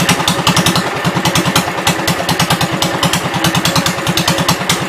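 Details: 1972 Gravely 430 single-cylinder engine running after fuel system repair (small drip at fuel pump inlet, earlier stuck valve, presumed exhaust): even, quick thumping, steady beat, no knocking or grinding; high-low axle works, drives forward and backward; normal running.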